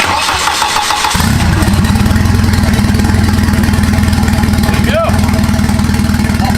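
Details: Turbo wagon on a Microsquirt standalone harness, ignition timing fixed at 10 degrees, no exhaust fitted: brief crank, then catches and settles into a steady, even idle with no misses or knocks; normal idle.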